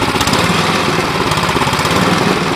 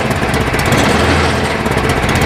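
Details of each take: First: Cub Cadet 1030E snowblower, 10 hp engine, carb stated to need cleaning: loud single-cylinder chatter with slightly unsteady, hunting beat instead of clean even run; uneven running. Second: Cub Cadet 1030E snowblower, 10 hp electric-start engine, carb needs cleaning: single-cylinder runs steady and even at fast idle, no knocks, misses or rattles; normal running.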